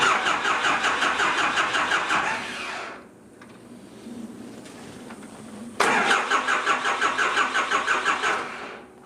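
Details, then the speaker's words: Cummins 4BT diesel in a 1968 Ford Bronco, first start attempt after starter wiring fix: starter cranks in even beats about three a second without catching; fuel system not yet primed. "look, I'm starting to see fuel bubbling up here. So we'll crank that a little bit more, and then we'll close that one off, and then we'll hit the other ones as they come up."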